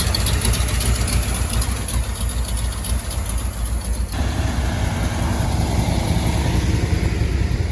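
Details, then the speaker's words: 1971 Ford F250 Highboy, overhauled V8 with an aftermarket cam, warming up after a cold start: deep idle rising and falling in an uneven lope about one and a half surges a second, exhaust donut leak present; lopey idle from the performance camshaft. "she's gonna be a little bit lopey because it's got a cam now but we'll get her set just right"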